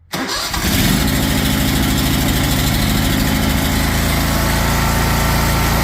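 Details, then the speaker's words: DuroMax XP23HPE 713cc engine after new exhaust muffler installed, started with choke on and clutch down: fires at once, settles into a steady even idle with smooth muffled exhaust beat, sounding better than before; normal start and idle. "There we go. I think that sounds way better."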